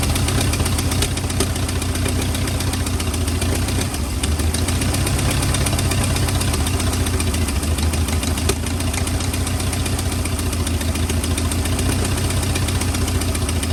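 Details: 1940 or 1941 Ford truck with flathead V8, sat about 50 years, cold block: low uneven chugging at a slow idle with irregular firing and a loose knock. Rough running; owner suspects worn rings, unconfirmed.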